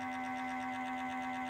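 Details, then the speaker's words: 2013 BMW E70 N63 after cooling system refresh, ignition on, engine off, before the bleed procedure: small auxiliary coolant pump gives a steady even hum near 250 Hz and keeps running on its own; owner unsure whether this is normal. "as you can hear this little pump here this little one it's going to town on its own i don't know how normal or not normal that is"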